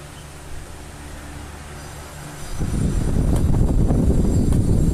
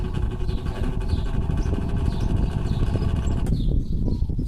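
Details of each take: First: Old Arno fan, about ten years old, that overheated and made noise, reassembled after repair: spins up into a steady airy whoosh through high, medium and low speeds, low previously barely working, no ticking or scraping; healthy. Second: Older Arno fan, about 10 years old, overheats and makes a coarse rattling drone at speeds one to three, weak at low speed, running slightly faster at max; worn motor bushings let the shaft wobble.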